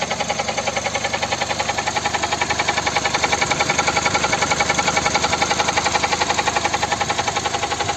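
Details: Volkswagen/Skoda 1.6 MPI (BSE) petrol engine on a cold start: a steady, even, sharp metallic knock at about 220 per minute over a cold idle that never changes rate; the mechanic found the cause after removing a component.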